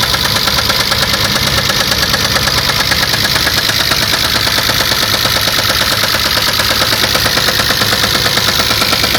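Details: 1994 Chrysler LHS engine knock: sharp, regular metallic tapping over the idle that tracks engine rotation, with the source not pinned down.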